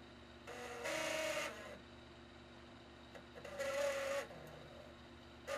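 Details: Xbox 360 Elite DVD drive after refitting the small spindle washer piece that the drive magnet had pulled off, which caused grinding and unplayable discs. Short whirring spin-ups with an even mid-pitched hum and no grinding; drive spinning normally.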